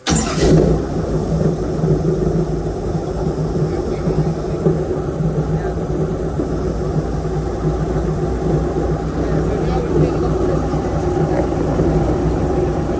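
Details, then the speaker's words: Airboat V8 with a decent aftermarket cam, previously idling about 700–750 rpm, warming up before carburetor mixture-screw tuning: deep, steady, even idle with no misses or knocks; smooth. "uh but it sounds like it's running pretty smooth and I think it's got a decent cam in it so uh on a low idle you're probably not going to improve too much on 11 or 12 uh in of back you feel it a little"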